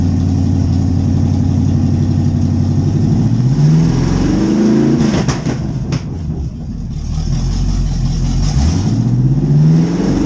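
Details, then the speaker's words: C4 Corvette V8, first start after carburetor swap and distributor reinstall: lumpy, uneven idle with sluggish rev blips; running rich, too much fuel by sound and smell, carburetor needs leaning out. "We got some dialing in to do for sure. Sounds like and smells like there's still a little too much fuel, so we're gonna have to pull some fuel out of her."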